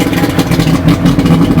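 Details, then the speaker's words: 2000 Johnson 90hp two-stroke outboard after spark plug and fuel filter change, first start of the year on manual choke, some smoke from winterizing oil: steady burbling idle with an even beat, no misses or knocks; normal idle. "It's idling nice. The water's pissing out all in my garage."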